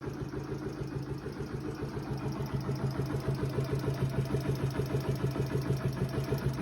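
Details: Yamaha Factor YBR K1 125 motorcycle at idle; rapid even knock about three per second over the engine drone, owner says not the tappets, cause unknown. Engine knocking noise.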